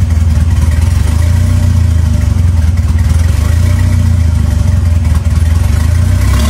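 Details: 2.3L turbo four Lima-swapped into Smokey on PIMPX batch-fire engine management, warming up for base timing check; strong steady low rumble with gentle rises and falls in revs, even firing; normal running.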